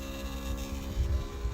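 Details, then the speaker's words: BMW 7 Series E65/E66 hydraulic trunk lid: pressing close gives a steady electric motor hum at constant pitch, but the lid does not move (soft close works when helped). Pump runs, lid does not move. "but nothing is happening maybe if I'm going to help a little bit perfect and soft close works if we want to open okay the same thing I can hear the motor but nothing happens"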